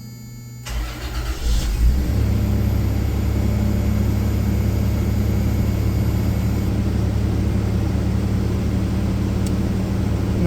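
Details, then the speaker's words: 1995 Toyota 4Runner 3.0 V6 with 215,000 miles, after full EGR valve and gasket replacement: cranks, fires, revs briefly, then holds a smooth, even idle; the earlier prominent exhaust leak is gone and the check engine light is off. "exhaust leaks that here don't hear any exhaust leaks was pretty prominent that you could hear that before but now you don't hear anything"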